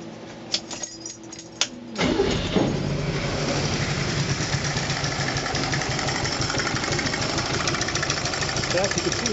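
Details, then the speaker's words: Renault Dauphine engine running with valve cover off, 40 psi bottom-end oil pressure: starts after a couple of cranks, uneven idle with a light, irregular top-end tick from an intermittently stuck intake valve; owner suspects rocker assemblies are starved of oil. "you can see right there. Stuck. I don't think that's perfect. There it goes. Maybe I just have a sticky valve, but I think I'm not getting enough oil."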